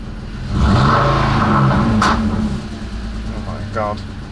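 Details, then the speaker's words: BMW E46 330i after overhaul with new intake manifold and CCV assembly, revved after clearing codes: engine blips and sags with an uneven, lumpy beat; fault memory shows cylinders four, five and six misfiring, cause not confirmed. "basically we've got this so cylinders four five and six are misfiring"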